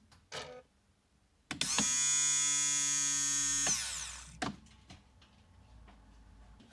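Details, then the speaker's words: 1998 Jaguar XK8, new replacement electric fuel pump wired into the circuit outside the tank: clean steady high whine spins up, holds about two seconds, winds down smoothly, sounding totally different from the old in-tank pump. Normal fuel pump run. "Well, a totally different sound, that's for sure."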